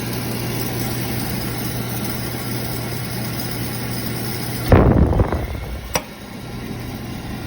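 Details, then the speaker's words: Beckett oil burner with no heat: the motor gives a steady low hum but won't turn, and goes to lockout until the blower wheel is spun by hand, then it lights with a whoosh. A bad start capacitor was suspected and later confirmed. "it's going to try to start but that motor is not going to turn and it's going to go into lockout unless i take my finger and turn the blower wheel"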